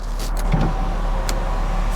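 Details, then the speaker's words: VW Eurovan Winnebago camper, about 56,000 miles, power window switch with auto down: brief, smooth whir of the window motor travelling without grinding, clicking or labouring, normal power window operation. "window switches work Auto down"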